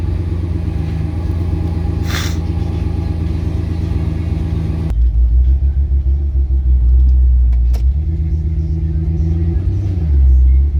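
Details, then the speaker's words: Lifted 2001 Ford Excursion with a newly installed 2002 replacement engine at idle: a low rumble with an uneven, loping beat of about three pulses a second that stumbles irregularly; misfire from failed ignition coils. "I got a couple little misfire issues that I have to fix on it. Like, I got a couple ignition coils that aren't ignition coiling, so I got to fix that. And you can definitely hear the misfire going on right now."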